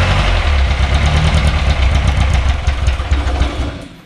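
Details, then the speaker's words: Barn find Austin-Healey Sprite first start with only a new battery, carbs refilling: runs lumpy and low under held throttle, then sags and dies once released; engine will not idle yet. "this one started quite easily doesn't want to idle quite yet"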